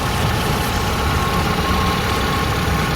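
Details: Kia Visto (Hyundai Atoz) small petrol engine idling with a steady, even low rumble and no power steering whine after topping up power steering fluid that had run below minimum; the steering rack seal is leaking.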